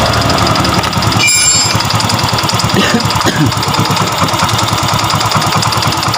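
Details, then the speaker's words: Yamaha Mio M3 125 that stalls at idle, with TPS opening 27 against a 14–20 standard, and white smoke: fast, even ticking over the idle. Suspected piston slap or one-way clutch; the smoke points to piston slap and low compression. "ada suara netek seperti piston ngeplek ya piston ngeplek bisa jadi bisa ngeplek atau one way"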